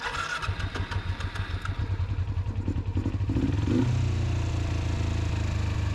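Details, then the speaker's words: 2007 Kawasaki Ninja EX250 revived after sitting five years: an uneven, lumpy idle with wandering pulses before a rev pickup. The idle won't settle and still needs addressing. "right, that idle still needs to be addressed, but let's go."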